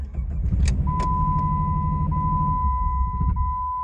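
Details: 2001 Jeep Grand Cherokee Laredo 4.0L, code P1686, SKIM communication fault, key light stays on, no gauges, SKIM unplugged; engine catches about two seconds then dies with steady warning chime; starts then stalls.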